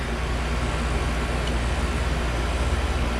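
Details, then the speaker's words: Carrier mini-split condenser after replacing a compressor whose internals blew: smooth, even hum with steady fan rush and no knocks or squeals. Cooling well and pressures good; compressor and fan running normally. "it's cooling pretty good in there pressure's here"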